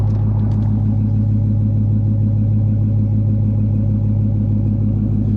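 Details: 2016 Dodge Challenger 5.7 L Hemi V8 with Shaker hood, exhaust note; deep, steady, even burble with no misses or ticks; normal healthy V8 exhaust rumble.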